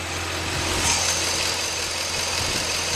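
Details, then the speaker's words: Chevy 5.3 L V8 idling steadily, not revved above idle, with motor flush in the oil and cleaner sprayed down the lifter oil holes: the loud lifter clacking has faded to a faint light tick under an even hum, nearly normal. "now I can barely hear that ticking at all I mean it's almost totally gone"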